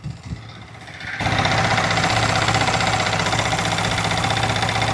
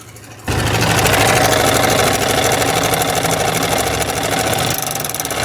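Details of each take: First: Yamaha R15M single-cylinder engine idling after the timing chain tensioner was repaired: steady, even firing beat; the earlier "kat kat" chain rattle is completely gone. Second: Yamaha R15M single-cylinder engine idling, noise started suddenly while riding, engine oil and filter fine: fast, light metallic tick-tick rattle from the timing chain due to failed timing chain tensioner (adjuster).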